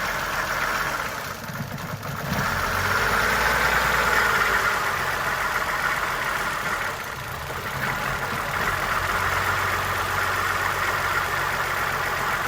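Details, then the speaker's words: Suzuki Verona with the EGR solenoid driver wire grounded to force the EGR valve open: the idle lopes and dips every few seconds as if about to stall. This rough idle and stumble is from excess exhaust gas recirculation. "So with testing the EGR, we pretty much grounded the driver wire for the solenoid on the EGR valve itself, and saw that the engine had a rough idle and kind of stumbled."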